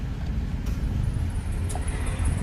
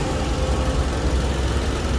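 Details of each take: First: Nissan Almera three-cylinder, after fixing rough running with check-engine light (injectors tested, no leaks; fault codes cleared): steady, even low hum at idle with no stumbles or misses; idling smoothly and normally. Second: Nissan Almera three-cylinder with check-engine light and shaking: deep, lumpy idle with an uneven stumbling low thump breaking rhythm; injectors tested leak-free and cleaned, misfire traced to a faulty ignition coil.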